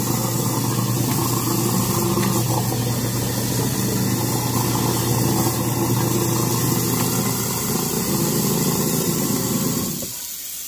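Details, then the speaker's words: Garbage disposal under a kitchen sink, run after repair: constant low motor hum with a gritty, rattly edge for ten seconds; it works but sounds rough, and the owner expects it may not last much longer. "nhưng mà nghe cái tiếng máy này chắc là mình cũng phải chuẩn bị tinh thần Chắc là nó cũng sẽ theo ông theo bà sớm hơn"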